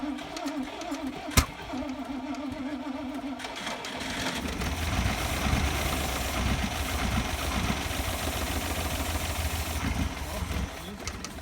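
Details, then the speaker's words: Rover SD1 after an oil change and fuel sender refit, run on fresh oil: the starter cranks, the engine catches after about four seconds, then runs with an uneven stumbling beat. It sounds fuel-starved; the owner suspects a blocked fuel pipe or carburettor. "the engine runs but it does sound like it's starving of petrol I'm thinking this could be a blocked fuel pipe or the carburetor blocked"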